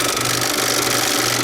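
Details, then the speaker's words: Bell and Howell 2575 16mm Filmosound projector run without film and with lamp disconnected: rough, gritty grinding over a steady low motor hum, traced to a worn nylon drive gear; unit also needs a worm gear. "And it's making a like a grinding noise when I fire it up, and I don't know why. It might be because I'm not running it with film."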